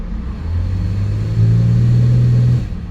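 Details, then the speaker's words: Buick LaCrosse V6 under brake torque after misfire diagnosis (cylinder 4 main offender): steady, even low drone with no stumbles or misses, misfire gone. Normal running under load. "and our Miss is gone so that is our problem there"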